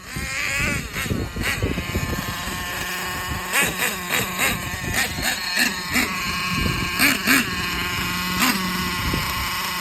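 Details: Thunder Tiger S50 8.2cc engine, first run after rebuild: a small two-stroke screaming high and revving up and down in bursts, a clean crisp note without misses or rattles; running healthy.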